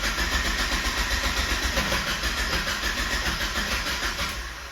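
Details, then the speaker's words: Mazda Miata cranks steadily, about three to four turns a second, without catching after stalling; it had an idle flutter up to 2000-3000 rpm and code P0111, and fired right up after cleaning the intake air temperature sensor. "and now the car won't start back up. I had to push it in. It didn't start a couple previous times."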